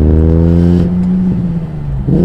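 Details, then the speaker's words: E46 M3 with off-the-shelf RKTunes tune and an air temp sensor fault: it revs and drops back with a flat, lumpy note unlike before and struggles to accelerate. Owner suspects it is missing cylinders. "the M3 should not sound like that it doesn't it's not making the same engine sound foreign [Music] am I missing cylinders that's not how it sounded before"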